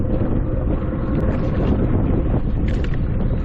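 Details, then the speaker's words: 1980s Hydro Force 255cc two-stroke jet surfboard on first ride, getting up to speed in windy, choppy water; deep even two-stroke drone partly buried in wind, easy to steer and running really good. "But it's pretty easy to steer, pretty easy to maneuver. It's running really good."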